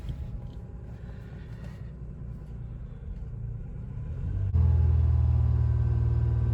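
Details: 2004 Toyota Sienna after replacing faulty cylinder 6 fuel injector (P0306 misfire, originally P0305): quiet cranking, engine catches at once and settles into steady, even idle with no stumble; normal start and idle.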